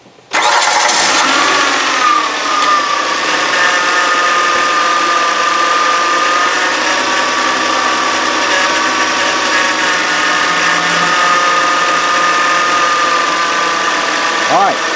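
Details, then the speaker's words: 2013 Kia Sorento AWD 3.5 L V6, just under 80,000 miles, engine running: a steady droning groan over the idle, pointing to a worn idler pulley bearing. "Check this sound out. I'd say that's fairly substantial."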